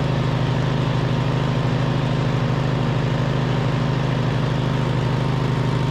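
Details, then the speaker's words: 2007 MTD/White Outdoors 54-inch zero-turn mower, twin-cylinder, after repairs with charging fixed: steady, even drone with smooth regular pulse while cutting, no misses or knocks; runs smooth as butter; normal running under load. "all right well this thing is smooth as butter honestly everything works really nice on on here the controls work the steering is super smooth"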